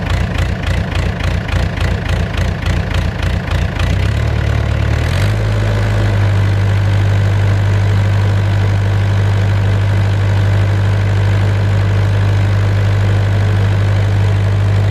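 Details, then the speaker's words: Mustang skid steer diesel after cleaning injectors and tightening lines: rhythmic pulsing about three and a half beats a second, settles, then shifts again; surging seemed gone but came back. "seems like it kind of went away nope there it is again it's back I just heard a second ago"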